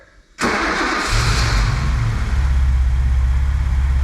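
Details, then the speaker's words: BMW E28 M5 after engine rebuild, first start: catches after a short crank and settles into a smooth, even idle, dash fine; normal start and idle. "alive everything's good on the [Music] dash sounding good"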